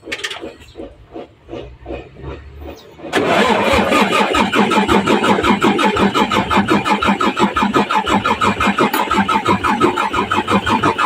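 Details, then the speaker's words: 6M70 double-EGR diesel fitted with a single-EGR-design pressure pump and injectors, hard-start problem: after a battery swap and filter bleeding, slow labored cranking then faster even starter chugging, but it never fires. "So try natin start ulit. Trorya. Ayaw talaga mga ka-raisel."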